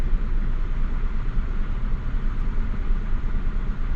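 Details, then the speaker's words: Mazda Bravo B4000 ute after idle control valve replacement, engine not yet warm: low even petrol idle settling quickly after a rev to just above 1,000 rpm, no hunting or stumble; normal idle. "it's just over a th000 though and of course it is a cold motor though too but it is kind it's almost at 1,000 now it's just above cuz it's it's not even hot the engine"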